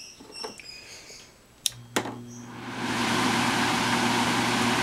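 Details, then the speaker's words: Kitchen fume hood squirrel cage fan repurposed as a smart shop dust filter, first start: two switch clicks, then a steady even whoosh with a low hum; blowing and suction good, running smoothly. "it seems to be blowing pretty good. I can feel suction here."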